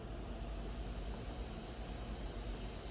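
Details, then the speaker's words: Laptop repair for a unit that would not charge: with the power cord plugged in, the charge light lit and the fans spun up, cord wattage unverified; steady, even airy hiss with no rattle; normal laptop fan running. "you can hear the fans spin up and everything. The light lit up like it's supposed to when you have a power cord plugged in, which is super awesome."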